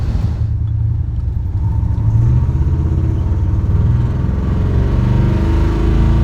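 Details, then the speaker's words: 1984 Chevy Silverado V8 after ignition timing adjustment to cure a slight miss, test drive in overdrive on the highway: deep, even rumble with no misses, knocks or surges at light load; miss gone, much smoother. "This is so much smoother. I like this. This is doable. I like this better. Much better."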